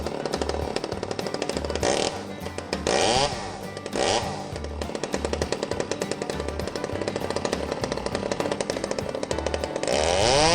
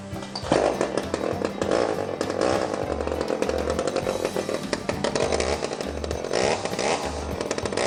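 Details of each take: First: Old Stihl 009 chainsaw after carburetor cleaning, held at full throttle while setting the high-speed screw backed out slightly past the middle: high revs with a light burbling sputter; high-speed mixture just a hair rich. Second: Old Stihl 009 chainsaw after carburetor cleaning, wide open throttle while high-speed screw is turned in and out between rough points to find the middle: steady high-pitched two-stroke scream wavering slightly during high-speed mixture adjustment.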